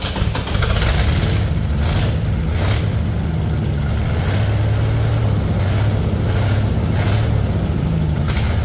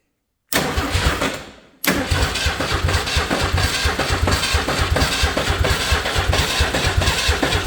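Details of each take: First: Old Ford 300 inline-6 truck engine after new pushrod, fuel pump, gaskets and ignition wire fix: deep, steady low rumble with an even beat; running cleanly with no knocks or misses, some smoke. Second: Old Ford 300 inline-6 truck engine after new pushrod and mechanical fuel pump install: starter spins the engine with a steady rhythmic churning for several seconds but never fires; cranking with no spark because ignition wires aren't hooked up.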